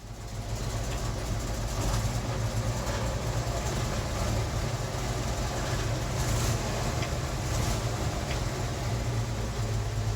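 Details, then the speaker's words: REO M-35 truck with a blown head gasket, still warming up as the choke is pushed in: low, lumpy, sagging idle with audible misfire, trying to stall out. "But you can clearly still hear the misfire. So it's still warming up, and so it's still idling, but you can already start to hear as it's warming up enough to where I can let the choke in, you can already start to hear it trying to stall out."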